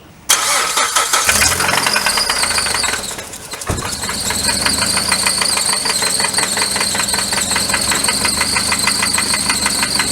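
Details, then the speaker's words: Engine at 95k miles, started and idling: steady metallic knock of about three hits a second from the engine compartment. Engine failed; metal debris was found in the oil pan. "so we started rock and it's idling rock and now you can hear there's that knocking sound coming from that area which tells you the engine is gone"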